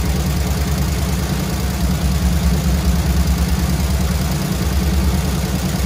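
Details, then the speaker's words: Squarebody Chevy C20 V8 with flat-tappet lifters, little run time, rocker arms readjusted half a turn (quieter but some still loud), held above idle to raise oil pressure; fast light ticking over exhaust barely easing with revs, lifters not pumping back up; collapsed hydraulic lifters. "i can sort of hear a few of them trying to come around here trying i can hear it in the exhaust but they're just trying like hell but i don't know i think there's no return on these lifters"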